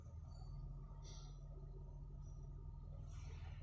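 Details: Suzuki Swift smooth, even idle with no misfire or rpm fluctuation after replacing the faulty ignition coil.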